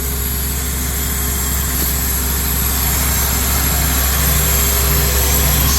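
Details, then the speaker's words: 2004 Honda Accord, which ran rough and then would not start, idling lumpy with a hard repeating miss; one cylinder is dropping out. "She's still rough. She's still rough, but she's running. A hard miss."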